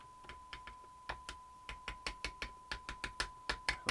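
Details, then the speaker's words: Old Roberts R707 radio: sharp irregular crackles and pops over a steady tone each time the set is tapped; intermittent bad connection, suspected in the IF module (tin whiskers on AF11 transistors), not confirmed. "it's like a bad connection somewhere I'm like you're trying to find out where the problem is"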